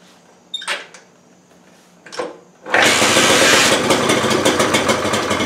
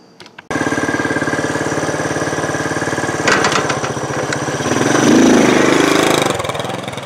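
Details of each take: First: 1968 Honda Trail 90 that sputters on the road: a couple of kick-start thumps, then it catches and screams at high revs; owner suspects the carburetor slide is stuck, hanging up the throttle. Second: 1968 Honda Trail 90 that sputtered on the road, after the sticking carburetor slide was fixed: the small single chugs steadily and evenly and picks up smoothly on throttle blips. The sticking slide was indeed the problem, and it now runs normally.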